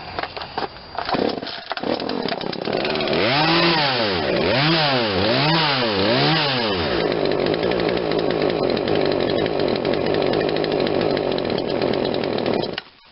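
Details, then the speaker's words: Poulan Wild Thing 40cc 18-inch two-stroke chainsaw with a new aftermarket carburetor, being tuned: at full throttle the revs surge and bog, then it dies; too much fuel because the main jet is opened too far. "I had that at full throttle and it's still dying. Too much fuel."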